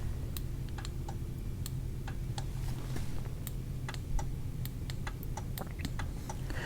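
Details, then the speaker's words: Cadillac Fleetwood Brougham: pressing the trunk release gives sharp irregular relay clicks, audible at the rear and glove box, over a low hum, but the trunk never pops; release mechanism suspected, not confirmed. "so the trunk popper doesn't work that's nice you can push it and you hear the relay there's a relay back here that clicks somewhere over here listen"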